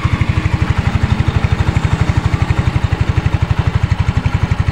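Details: Yamaha Mio 125 final drive (gardan) that had sounded rough, after replacing its 6202 bearings and adding gear oil: an even, low putter at about four beats a second with no grinding. It now runs smoothly.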